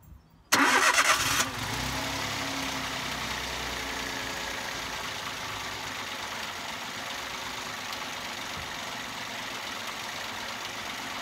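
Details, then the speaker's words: Toyota Aygo/C1/107 1.0 petrol after cleaning throttle body, MAP sensor and PCV valve to cure rough running: quick crank and catch, settled even idle, smooth quiet hum, no misses or knocks; far quieter and smoother. "running far quieter now happy with that a lot smoother a little quieter a lot happier by the looks of it"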